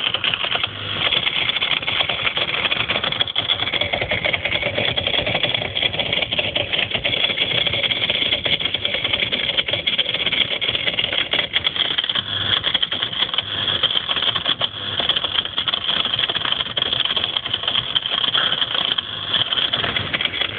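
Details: Whirlpool ADG 7540 dishwasher viewed from underneath: continuous buzzy rattle while running, shaking the right-angled rubber hose and heater; a faulty pump, fixed by removing and replacing the pump.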